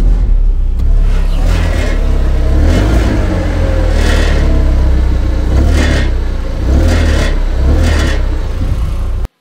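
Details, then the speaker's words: Audi TT Mk1 at idle: deep rumble with recurring tinny rattle bursts from underneath, traced to a loose catalytic converter heat shield; fixed by spot welding it. "the tt has developed a rattling sound when idling and it appears to be coming from the exhaust system somewhere"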